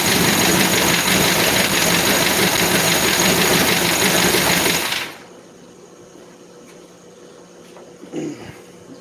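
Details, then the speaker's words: 1964 Chevy C10 engine, running again, water pump off and timing not yet set: loud fast running with quick even ticking, about three per second, then shutoff; hydraulic lifters sound like solid rollers, so the rockers need readjusting. "so anyway, it's alive. It sounds like solid roller, but no, it's hydraulic."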